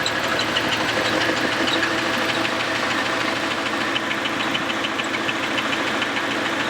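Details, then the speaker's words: Camaro V8 just restarted after a quick weld of the exhaust Y-pipe, idling rough with an uneven rattling knock and a light tick, more pronounced when revved; the owner suspects loose connecting rods or journals, with the crankshaft rattling. "it sounds the best way I can describe it is it's like a rattle it's a knock so that's what we really heard pronounced when I rev the engine that sort of like rattling sound"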